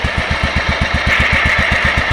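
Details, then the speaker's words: Yardman 15 hp 42-inch deck riding mower, revived after being abandoned outdoors: steady even putter about eight beats a second, no misses or knocks; healthy idle, later stalled as idle was set too low. "So, that is awesome. Listen to that thing idle. That is sweet music to my ears. We put a lot of work in this one, boys."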